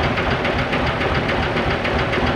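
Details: Diesel dump truck that would not start, so the starter was suspected and removed, idling after starting: a steady clatter with a regular rhythm and no misses. The cause was a weak battery, and the starter was found fine; normal idle.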